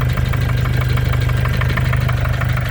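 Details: 2014 Mercedes diesel OM651 with 300 (thousand) mileage at idle, hood open: sharp even ticking knock about nine beats a second, same cold or hot; injectors and hydraulic lifters replaced without change; source still unidentified, possibly harmless.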